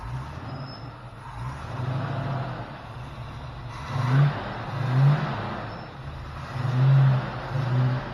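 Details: 1972 Plymouth Roadrunner 383 Magnum with stock/RV-grind cam, after sitting 15+ months, during cam break-in: deep, steady roar held at fast idle with slow gentle swells and no knocks or misses; normal high idle.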